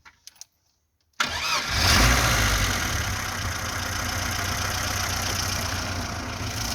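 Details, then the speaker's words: VAZ 2106 with a fully rebuilt engine, cold start: starter catches quickly, then a steady, even idle at about 800–900 rpm with no misses or knocks and no smoke from breather or exhaust; healthy start. "автомобільчик працює на холостих обертах холості оберти приблизно десь біля 800-900 обертів так як і повинно бути"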